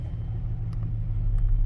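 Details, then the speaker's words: GM Sierra/Silverado after replacing a coolant temperature sensor that misread: a slightly extended crank, then a low, even idle rumble that holds steady with no stumbling or hunting; idles normally. "Let me start it up. A little bit of an extended crank. It's idling smooth."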